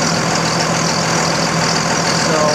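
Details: 2000 Dodge Ram 2500 24-valve Cummins turbo diesel after a fuel filter change: a steady, even idle clatter with no stumbles or misses. Fuel pressure is normal and the leak seems fixed.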